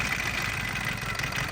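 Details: Auction Isuzu 4H1 four-cylinder mechanical diesel at a rough idle: loud, uneven, lumpy clatter with smoke. One cylinder appears dead.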